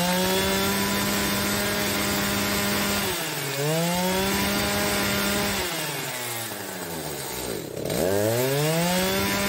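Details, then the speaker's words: Echo chainsaw, not started for months, on a lean carburettor tune. The revs hold, then sag and surge as it hunts and starves before puttering out in a lean stall. "that's a lean stall you hear it kind of hunting and starving and then it finally just putters out like that"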